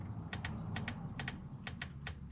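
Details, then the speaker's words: Toyota Land Cruiser Prado 1KZ-TE 3.0L diesel EGR vacuum solenoid bench-tested at 10 ohms on battery voltage: crisp, consistent paired clicks about twice a second, functioning okay; the truck loses power and smokes black at operating temperature, EGR suspected. "so we can hear it clicking like that uh so that's seems like it's functioning okay"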